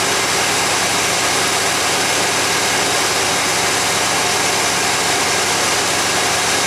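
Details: 1991 GMC Jimmy fully warmed up, about 16°C (55°F) ambient: constant busy hiss-and-rumble idle that stays fast and doesn't settle; flammable spray found no vacuum leak, owner suspects an air-fuel or other sensor sending false information.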